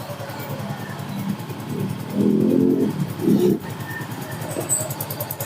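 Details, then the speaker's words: Soul GT scooter at idle after reinstalling the CVT: even, steady firing with no top-end rattle, now normal; earlier harsh noise at idle was a disintegrated camshaft bearing. "Nah, tuh ya untuk suara sudah halus ya, sudah normal lah intinya."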